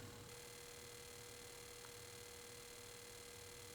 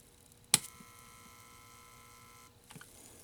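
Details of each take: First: Cinematronics vector monitor with a repaired board fitted with new regulators, diodes and capacitors. A steady mid-pitched tone over a faint hum with a light buzz: the deflection yoke is chattering normally and the board works. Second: Cinematronics vector monitor on first power-up after repair: click then steady high whine about two seconds and stops; constant noise caused by broken traces.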